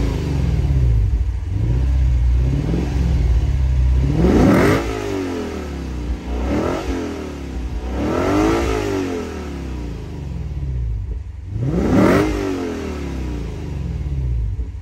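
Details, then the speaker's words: 2022 Lexus IS 500 with its 5.0-litre V8, whose check engine light just came on (cause unknown), exhaust sound: a deep, even rumble with four clean, quick throttle blips rising and falling smoothly. "you can hear for yourself the amazing sound of this 5-liter v8 engine"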